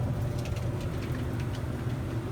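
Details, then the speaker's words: Samsung DV45H7000EW/A2 dryer after the slipped-off belt was refitted on the pulley/tensioner: empty drum on quick dry turns with a steady low hum, no thumps, squeals or scraping, and heats up; repair successful. "think it's good. It's spinning. Everything is spinning. Doesn't make any noises."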